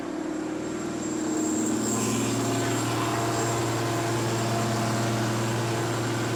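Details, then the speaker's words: Abandoned repo'd Case cotton picker with Cummins diesel, first start after missing fuel line fixed and air purged: strong, steady diesel drone, even beat, no stumble; runs smoothly. "that's fine ain't it dude i know it was full of air yeah that's strong listen that a3 ain't no joke"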